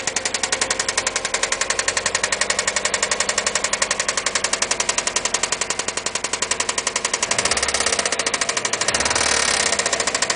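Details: 2002 Subaru Impreza WRX running engine with a rapid, steady metallic knock: spun rod bearing.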